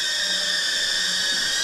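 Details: Newbeedrone Acrobee75 with a DJI O3 unit, flying on the untouched stock factory tune: steady high-pitched scream from the small motors with a slight waver and no smooth settling. The quad shakes, and the motor oscillation is blamed on the bad default tune.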